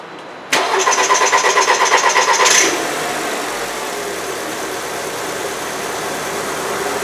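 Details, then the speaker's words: 2008 VW Passat 2.0T BPY direct-injection engine with P0087 fuel rail pressure too low, check engine light on and no power; starter churns about three beats a second for two seconds before firing and settling to idle, an extended crank. "So you saw the extended crank, the check engine light is on."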